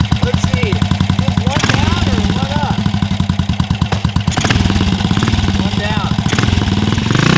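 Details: Vintage BSA 441 Victor single, started after clearing a rich-running cylinder, no choke and very little throttle: steady, even thumping at low idle without stumbling; running normally.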